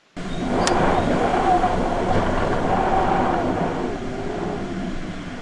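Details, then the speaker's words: Pössl camper van, Mini-Heki bathroom roof vent lacking a seal, heard while parked: steady rushing wind with faint thin whistle; later sealed. "das häki im Bad das pfeift ganz furchtbar und zwar so"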